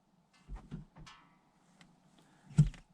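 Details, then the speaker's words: 2020 LADA Vesta SW Cross, 1.8 engine, AMT 2.0 robotised gearbox with Sachs actuators, 28,100 km. Engine off, ignition on, door open; a few soft clicks mostly when shifting into reverse, barely audible, no squeak. Normal actuator operation. "видите есть небольшое щелчки особенно при ключей при переключении на заднюю передачу но скрипов никаких нет и щелчки есть практически не слышны"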